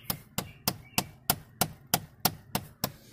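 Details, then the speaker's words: 2003 Chevy Cavalier, heard inside the car with AC on: sharp steady clicking behind the dash about three a second from the blend door actuator with worn internal plastic gear. "so now if i change this it'll stop so if you're having that problem that's going to be your um your actuator motor there"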